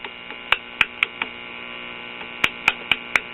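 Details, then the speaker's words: Late-1950s Japanese Londala tube radio, after swapping the 12BE6 with no change: constant mains hum with irregular sharp pops and crackles; 12AV6 detector/first audio stage suspected, later tested good, loose connection suspected. "oh so it's the 12a v6"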